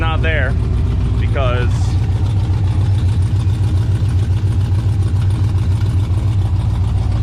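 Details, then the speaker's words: Mustang V8 idling; exhaust leaking from the driver-side O2 sensor port, whose screw-in plug keeps popping out. Steady rumble with a sharp, regular puffing about three times a second: an exhaust leak. "sounds like it's leaking out of here [Music] yeah so my o2 sensor on the um driver side is not"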